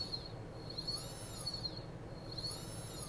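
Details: Chaos 3115 brushless FPV motor returned for noise, spun after removing a small piece of metal debris stuck inside: thin, high whir swooping up and down with no ticking; smooth motor spin.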